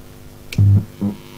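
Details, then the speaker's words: Homemade audio amplifier on a replacement junkbox transformer and homemade power supply with weaker filter capacitors: a low buzz in two short bursts through the speakers at power-up, worse when touched. Mains hum is being picked up. "anyway right as you can hear I'm getting a whole lot of buzzing I'm just going to take this thing apart can't touch this thing anywhere without it even buzzing even [Music] more"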